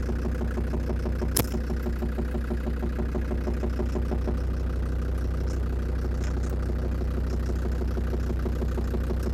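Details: Land Rover Defender Td5 diesel after radiator work: steady idle with a regular light tick about three per second, not fading with warm-up, heard clearly near the snorkel; owner suspects hydraulic lifters, source unconfirmed.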